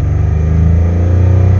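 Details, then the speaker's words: Dodge Nitro 4.0 with weak battery, squeaky belt and valve train noise: deep drone hanging at raised revs after throttle closes, slow return to idle; throttle body cleaning planned, suspected as the cause. "There it is again. And let off of it. And it's just slow to return."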